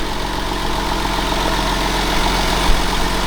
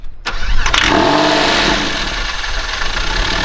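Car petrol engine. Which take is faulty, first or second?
second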